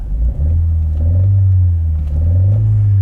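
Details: 2016 Ford 1.6L EcoBoost direct-injection engine, given 4 new injectors and a high-pressure pump about 3 months earlier, returns with a misfire. It was intermittent under load and is now constant: a deep drone with an uneven pulse. Trims read long-term 3%, short-term 11%; the misfire is traced to improperly seated ignition coils.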